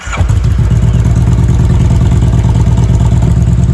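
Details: 2016 Kawasaki Vulcan 1700 V-twin in neutral, run about 15–30 seconds right after an oil change and refill to circulate oil: catches and settles into a steady, even low thump at idle, no knocks or misses; normal idle.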